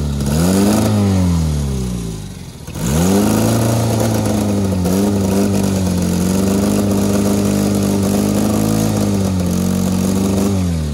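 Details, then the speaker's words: Honda Civic with tire foam in place of engine oil, running on ether; engine dips almost to stalling, picks up and chugs unevenly; rough running without oil. "he's just chugging along [Music] that's pretty good on ether"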